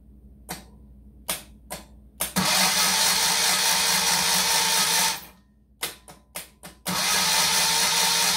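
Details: 1973 Moto Guzzi Eldorado during rewiring, cranked without spark plug wires connected so it cannot start: two strong, even cranking runs of about three and two seconds with steady speed; normal starter cranking, voltage dropping to about 11.3.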